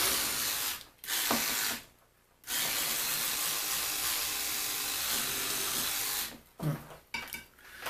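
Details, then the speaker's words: Power tool cleaning grime off an old 10 cm Hemklem vise: rough rattling whirr with uneven ratchet-like chatter and stop-start bursts, running abnormally; owner suspects voltage regulator fault, unconfirmed. "This doesn't sound good. I think there's something wrong with the voltage regulator,"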